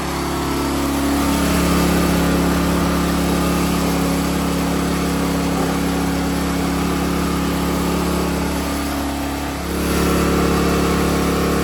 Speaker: It kind of sounds like it's running better than good. That sounds like it's It almost sounds like it's running too strong.